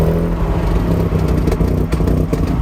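Rotary running and blipped, with a loose metallic rattle riding over the exhaust note; cause not pinned down from the sound alone.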